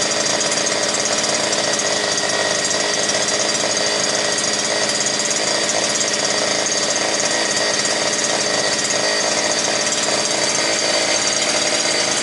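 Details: New gasoline brush cutter (trimmer) that would not start, now running bare without shaft, gearbox or spool: steady high two-stroke scream at full throttle reaching 9,900 rpm, no surging or misfire; normal, just under 10,000.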